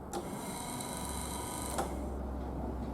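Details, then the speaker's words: Triumph Spitfire wiper motor on factory wiring block, ignition on: silent in intermittent and both speed positions, but with switch off it runs with steady whir and faint gear hum; washer also not working, cause not yet found. "If I turn it off, you can hear and see it going around. Intermittent, nothing."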